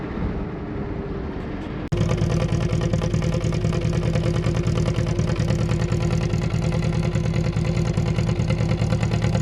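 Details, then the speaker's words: Brazilian Chevette with Solex carburetor after carb cleaning and distributor cap check, brought up to temperature and driven: after a sharp start it settles into a steady, even low thrum; normal warm idle. "so as you can see it seemed to be working well i got it up to temperature took it for a drive and uh didn't have any problems"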